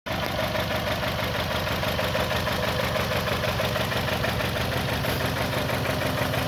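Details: 2021 Toyota Camry engine misfire at idle: uneven, lumpy stumble about three times a second, caused by an internal fault in the ECM's ignition coil control circuit.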